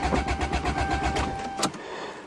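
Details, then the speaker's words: Toyota GTS in snowy December cold start, possibly without exhaust or back pressure; quick even cranking for about a second and a half, never catching; owner suspects no exhaust makes cold starting hard: crank no start in cold. "with no back pressure and no exhaust are always hard to start in the cold. Oh, I don't believe it. This is going to be two Toyotas that don't work?"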